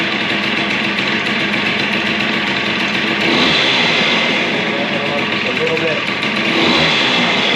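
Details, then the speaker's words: Suzuki DS90 two-stroke after rebuild with used replacement crank, first heat cycle, idle raised slightly: crisp, raspy buzz revs up and settles back to steady idle with no knocks or misfires; sounds healthy. "I think we're ready to try to start this thing what don't you say let's give it a go and give it its first heat cycle sounds good to me"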